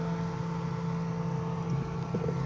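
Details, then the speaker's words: Inverter refrigerator converted to conventional operation, in the cooling cycle: steady low compressor hum with a soft, even fan whirr. The compressor and fan are both running, cooling normally. "Dan kipas pun hidup guys, kipasnya hidup guys, kipas hidup."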